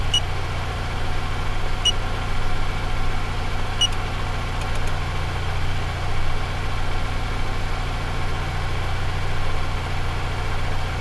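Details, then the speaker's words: 2007 Toyota Avensis 2.0 petrol, fully warmed up, after throttle body cleaning without idle relearn: steady but higher-than-normal idle speed, engine mount passing vibration to the body. "вот видно обороты высокие Ну как высокие больше чем нужно слышно как подушка вибрацию на кузов даёт даже на прогретом двигатели"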